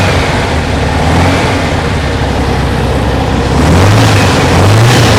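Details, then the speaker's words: 1968 Porsche 912, 1600 flat-four with carburetors, after fitting new parts; loud rough idle whose drone keeps rising and falling, hunting, backfiring through carb suggests timing too far advanced; timing check with timing gun next. "she's jumping around more than I like so uh let me get the old uh timing gun on it"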